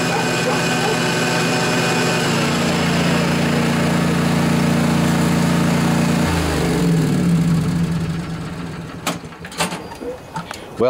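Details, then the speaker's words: John Deere LA145 riding mower, 48-inch deck, Briggs & Stratton twin Intek, after replacing noisy deck spindle bearings, checked at low rpm with blades engaged: steady engine drone then a clean wind-down, much quieter, no grinding or squeal. "that was a quite a bit quieter it's now I don't really hear any abnormal noises so I think we're good folks"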